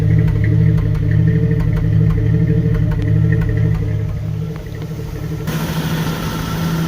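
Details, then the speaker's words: 1988 Jeep Wrangler YJ 4.2L straight six, automatic, carbureted, idle raised from about 500 rpm: uneven surging idle with irregular sharp exhaust pops; over-advanced ignition timing and lean carburetor, before timing and carb adjustment. "so the main thing is you can hear the exhaust all that pop and that's normally this sign of a to advanced ignition and a lean condition on the carburetor"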